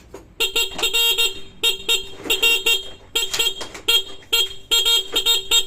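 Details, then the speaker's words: Horn on a Yamaha RS100 under restoration: several short, clear honks with a bright, steady tone and clean cut-offs. The horn works normally. "Busina. Ang ganda ng busina niya. Original ba naman?"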